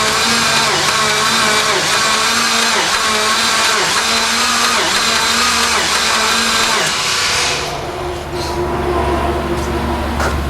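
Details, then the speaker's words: Semi-abandoned 1992 Dodge Stealth R/T, no oil up top yet, valve cover off, no fuel pump heard: starter drags engine slowly, labouring under two beats a second, about seven seconds without firing; spun bearings suspected. "I think you're turning over rather stuff it's turning really slow kind of like it's got spun name bearings"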